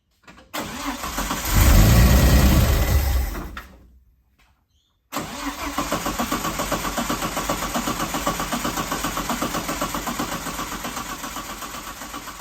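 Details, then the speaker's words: Ford TE Cortina, battery swapped for a charged one, fuel added: brief roar fades, then steady cranking at about four beats a second never catches; accelerator pump squirts no fuel and the bowl overflows instantly; carburettor suspected. "So the accelerator pump isn't squirting any fuel, but as soon as I try to give it some fuel into the bowl, it overflows instantly."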